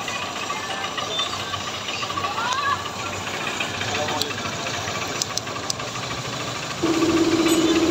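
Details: Honda Trigger motorcycle after repair with original parts, worn cam and rocker marks found under tappet cover: light, regular single-cylinder beat about four per second, no heavy top-end clatter, steady hum near the end; running normally.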